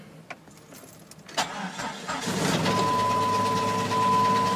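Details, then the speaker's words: 2000 Jeep Grand Cherokee 4.0 inline-six at 262,803 miles, head suspected blown: quiet clicks, starter whirr, then a hard start into a rough, uneven idle; hard start, cause unconfirmed. "Actually is trying to run. Maybe the head's not blown after all. Not sure here. Doesn't sound good. He's trying."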